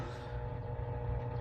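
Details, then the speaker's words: Power amplifier with preamp connected, driving a speaker, no grounding system fitted: loud, steady low hum with constant buzz on top; suspected grounding problem in the preamp-amplifier chain, cause not confirmed. "So, maririnig ninyo, ayan, may background noise. Yung humming sound na yan, para siyang grounded."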